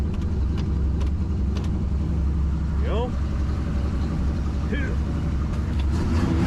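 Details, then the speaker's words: 1976 Chevy Malibu SS V8, possibly with Edelbrock or a cam (owner unsure), warming up with the manual choke just turned off; a small gas leak was noted. Deep, slightly lumpy idle with a steady low rumble, no knocks or misses: normal idle. "there we go yeah so you can hear it's about a 260."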